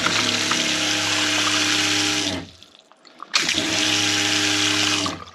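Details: Franklin CX22 caravan diaphragm water pump after repair (system bled), running cold: even motor buzz with rushing water, stops and cleanly restarts without knocking, normal running; unsecured pipework adds some vibration noise.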